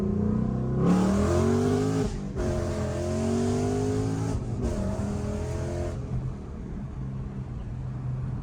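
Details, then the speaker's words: 2015 Mustang GT V8 after installing Stainless Works long-tube headers with Solo performance exhaust, not yet tuned, doing pulls; loud engine pitch climbing cleanly through each gear with crisp shifts and no stumble; healthy acceleration. "Oh, yeah. That sounds so good. Sounds good."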